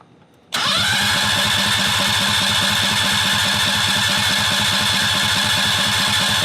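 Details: 670cc V-twin Predator go-kart engine, sat for months with carburetor problems, cranked with parts removed; silence, then it catches at once and settles into an even, steady idle with no misses or knocks, normal start and idle.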